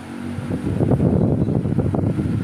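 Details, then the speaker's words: Electric fan after repair in which two worn bushings were replaced, previously noisy with scraping metal: steady low hum with no scraping or rubbing, runs smooth and quiet. "So Ayan Ay okay na mga kabuting at wala na kayong naririnig siguro ng ingay diyan"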